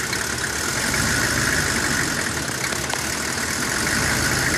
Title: 95 Chevy 3500 rough idle